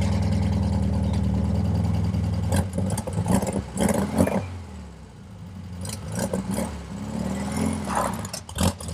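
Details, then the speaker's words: 1967 VW Beetle flat-four, first drive after swapped intake manifold, replacement carburetor, and distributor: uneven pops and stumbles and hesitation when throttle is stabbed; owner suspects lean running or valves, plans valve adjustment. "So I took it for a drive. As you heard, it's still popping. It still doesn't want to take the throttle when I stab it. So I feel like it's running lean."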